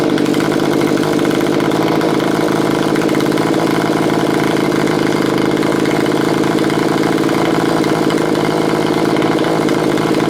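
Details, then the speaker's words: Curb-find Stihl BG55 leaf blower after lengthy carburetor mixture adjustment, screws set three turns out on low and two out on high: steady, even two-stroke buzz holding one speed with no surging, stumbling or misfires. It idles normally, running like a top. "after I have it seems to be running like a top tried a few more times and just make sure everything's okay"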